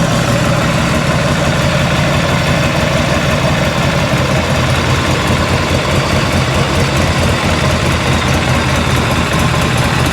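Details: 1986 Harley-Davidson Liberty Edition Electra Glide Classic V-twin, revived after sitting 10 years, with ignition timing just set: a low, loping idle with an even rumble and no misses or backfires, running nearly out of fuel. Normal idle.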